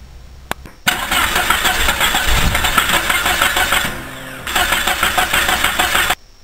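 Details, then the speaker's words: Car that cranks but won't start, with spark and 12 V reaching the injector confirmed: starter spins the engine steadily about five seconds with an even churning beat, never catching; cause appears to be no fuel pressure. "bien pues ya parece que encontramos la causa de que el vehículo no encienda no hay presión de gasolina"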